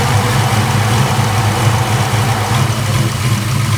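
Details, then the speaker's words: Ford-engined Mustang after overheating fix, idling around 169–171°F with fans working: steady, even low rumble with no knocks or misses; normal idle. "It actually dropped the temperature. It's sitting idle. Now we got the fans working."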